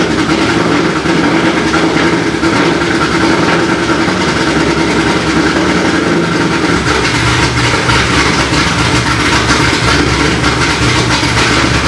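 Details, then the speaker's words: C6 Corvette Z06 with ported heads, B3 cam, FAST 102 intake, headers, X-pipe and straight-pipe axle-back on E85. First start after the cam and twin-disc clutch install: a deep, steady, lumpy-cam V8 idle with no ticking. The idle is normal. "so so so there you have it guys b3 cam install along with the rxdr twin disc clutch and it sounds it sounds good"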